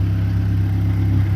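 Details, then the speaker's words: Mazdaspeed 3 (MZR) that had a cylinder 3 misfire code, after swapping the cylinder 3 and 2 coil packs and clearing the codes: low, even, smooth idle with a steady pulse, no stumble or stalling. Normal idle. "No rough idle. It's not wanting to shut off."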